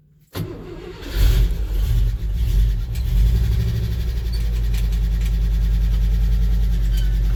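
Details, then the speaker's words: 1970 International 1200 3/4-ton 4x4 pickup, sat 30 years and revived, carb idle after a week sitting in cool weather: brief crank, catches at once and settles into a steady, even low idle on its own; normal cold start. "so the 70 International been sitting here for over a week did start it up a few days ago for a little bit just make sure the battery was up it's been kind of cooler the last few days see how easy it fires up"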